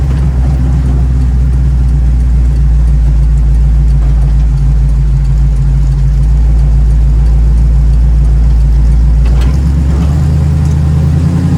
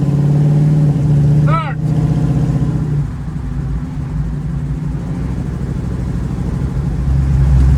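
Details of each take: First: 1936 Chevy coupe with SBC 350 V8 and TH350 automatic, owner suspects missing third gear, standard start from rest: low V8 drone climbs then drops near the ten-second mark as the transmission upshifts cleanly under steady throttle. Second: 1936 Chevy coupe with small-block 350 V8 and TH350 automatic, driving after shifting into third: steady, fairly high drone, revving more than expected in top gear; owner suspects a gearbox fault or a very short rear diff ratio.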